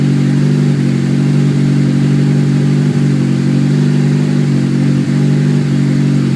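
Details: Honda S2000 cold start: loud steady low drone with faint ticks a few seconds apart right after starting; unusual noise of unknown cause.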